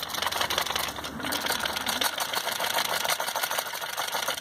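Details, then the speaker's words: Volkswagen Up iMotion in for a gear-rattle noise complaint. The old clutch disc, shaken by hand on the bench with the gearbox removed, gives a loose metallic chatter from slack damper springs; this isn't the gearbox noise. A new original VW disc doesn't rattle. "Tem uma folga nas molas, você bota aqui e ele fica com esse barulho aqui, ó."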